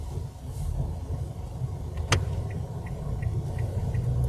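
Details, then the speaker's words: Manual-transmission pickup truck driven in 3rd gear at too-low revs: deep dull low rumble with a knocking "kuk-kuk" beat and almost no rise in pitch, engine lugging and barely pulling; needs a downshift. "แต่ว่าถ้าสมมุติว่าพี่อยู่เกียร์3ได้ยินมั้ยค่ะกึกๆๆๆๆๆๆค่ะเนี่ยๆๆๆแล้วมันจะไม่ค่อยไปอือื"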